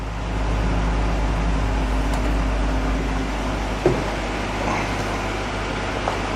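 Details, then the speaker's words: 1965 Ford Econoline pickup after repairing a slipping clutch, which now has more pedal pressure, running in gear: steady low drone and even road roar with no slipping surge or knocking. Normal running in gear. "Sounds good, don't it? Yeah, about the same."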